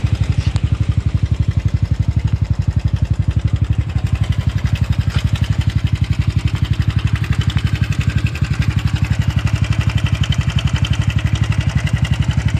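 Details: Honda Super Cub 110 (JA44) on the commute: sudden abnormal engine noise, a hard regular tapping on every beat of the single-cylinder putter at about three beats a second; cause unknown.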